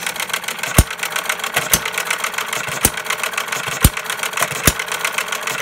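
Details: Freshly restored 1/3-scale Paul Breisch Associated Hired Man gas hit-and-miss model engine: sharp single bangs about once a second with coasting gaps between firings; normal, even hit-and-miss running.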